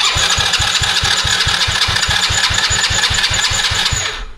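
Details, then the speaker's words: Old roadside-found four-wheeler with a dead battery, cranked with the charger connected: the starter turns faster, about 3.5 turns a second, but never fires; starter fluid is planned next. "You hear how it's turning over faster? Okay, but it's still not running."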